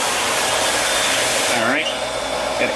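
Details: Half-horsepower shallow well jet pump on a two-inch well with a 40-gallon galvanized tank, after repair (capacitor, start switch, pressure switch replaced, waterlogged tank fixed): steady airy motor whir, no surging; normal run, cycle time just over 30 seconds.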